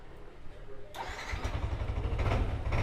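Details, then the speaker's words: Yamaha Nmax scooter that would not electric-start, after replacing the weak starter bendix with a Honda Vario 125 part: starter whirs briefly, engine catches at once and settles into a steady idle; starting fixed. "Nah itu ya starternya sudah berfungsi kembali nah starter sudah berfungsi kembali setelah diganti ganti bendiknya"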